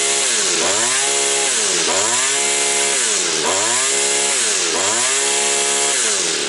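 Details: Two-stroke petrol brush cutter, after carburettor work and lapping, with a half-worn piston, previously started then stalled quickly: revs up and drops back about every second and a half, smooth and even, no rubbing or stalling.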